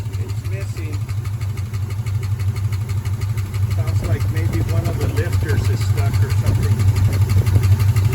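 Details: 1972 Ford F-100 Ranger XLT stored over 10 years, first start-up after cranking for oil pressure: low loping idle pulsing about three times a second with uneven stumble, a misfire at idle; cause suspected, not confirmed.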